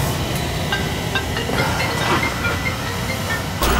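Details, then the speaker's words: Oil burner after service (brush and vacuum of the boiler, new nozzle, electrodes reset, draft over fire reset, two dampers left out), previously running briefly, shutting off and smoking black: steady even burner roar with faint airy hiss, no pulsing, now firing cleanly and running normally. "I could take two of the dampers out we'll just leave them out you don't need them it's running good now"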